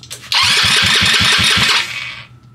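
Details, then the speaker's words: Freshly assembled Trailmaster 150 stroker single-cylinder engine, compression test with throttle held wide open, key-start cranking: quick, even starter cranking with steady pulses; reads around 200 psi at four cranks, healthy compression. "I'm going to go ahead and turn the key I'm going to do it at like five cranks because that's how I do all my Motors just to give me a baseline of where they're at"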